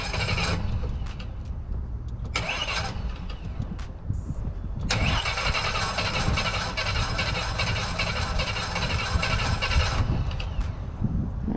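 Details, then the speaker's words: Mercury Verado outboard on a triple-engine boat, cranked at the helm after cleaning a ground for a low-voltage complaint: several brisk cranking bursts with no firing; fuel starvation, the tank ran dry despite the gauge reading a quarter full. "it sounds like a fuel problem so let's see what his tank levels are"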